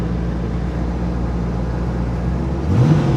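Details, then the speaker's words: 30k-mile hurricane salt-water-flooded C4 Corvette starting for the first time: engine comes to life, settles into a steady, even low idle, then picks up cleanly on a short throttle blip; normal start and idle. "It just came to life."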